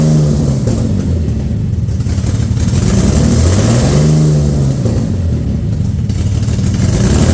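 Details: Infiniti G35 V6 just after an engine rebuild with a ported intake, first start, radiator not connected. It surges and stumbles with an uneven, lumpy beat and no engine light. Owner suspects a massive vacuum leak.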